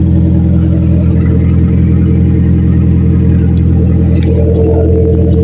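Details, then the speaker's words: Turbocharged B-series engine, first run with newly installed straight-pipe exhaust, pipes heating up, known rear oil-feed leak: loud, deep steady drone at fast idle with an even beat, no ticking or puffing; healthy, no exhaust leaks. "I got to fire this bitch up and see what it sounds like with exhaust on it."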